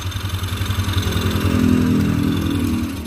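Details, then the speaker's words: Yamaha Xeon carburettor scooter after repair: engine catches right away on the starter and settles into an even, steady idle with regular pulses, no knocks or rattles; normal start and idle. "sekali lagi oke semuanya sudah kembali starter mesin eh dan motornya sudah hidup kembali"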